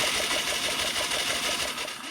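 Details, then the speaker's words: 1989 Yamaha Moto4 200cc quad, no-start with good spark: fast, light, even cranking that never catches; compression gauge shows only 50 psi (needs 100-120), traced to broken timing chain tensioner and worn timing chain. "You just shove it down on there and hold it, crank it over. And I'm only showing 50. That's not enough. About any gas engine needs more like 100, 110, 120."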